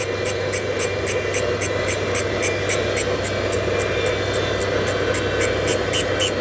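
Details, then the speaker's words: GMC 302 inline-six rebuild, refacing a valve on a valve grinder: steady grinder hum with a light tick about four times a second. The stone contacts the valve face only part of each turn, missing a dark spot, so the face is not yet fully refaced. "That's hitting and then not hitting. That black spot it's missing it."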